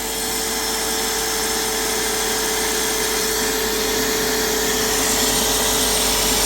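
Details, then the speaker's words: Graco airless paint sprayer about 9–10 years old, stored, switched on in prime mode: the pump hums steadily and runs nonstop without loading up or shutting off. Debris-stuck spring-loaded valve balls can't seal, so it won't prime. "Anyway, it just runs and runs and runs and it won't shut off no matter."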